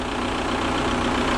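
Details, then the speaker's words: Seat Ibiza 1.9 SDI diesel with a fuel-supply fault from a quarter tank down: after refilling the fuel filter and adding 10 litres of diesel (about half a tank), it restarted and now idles steady and clean with no misses or hunting. "Et on est bien d'accord que là elle tourne nickel et que elle est, avec mes 10 litres, ça a mis à peu près la moitié du plein."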